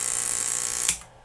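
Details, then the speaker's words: Monitor Audio RSW12 subwoofer amplifier at power-up: harsh hissy high-frequency buzz with faint 60 Hz hum, cutting off at power-down; every power amp board capacitor was found defective. "i hear a 60 hertz hum and a bunch of high frequency component at the same time which really shouldn't be on a subwoofer at all"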